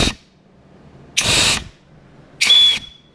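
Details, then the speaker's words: Ford C4 transmission during final assembly, shop-air check of the band servo: three short sharp hisses, each about a third of a second, with the band clicking on and off cleanly; servo works fine. "Okay, you can hear that clicking in. Coming off and on. Now you can watch this band apply."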